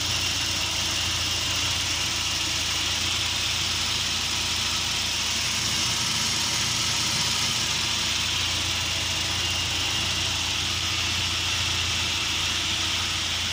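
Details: UAZ Patriot engine at idle: loose, uneven tapping of about three knocks a second under a hissy background; engine knock at idle, cause unknown.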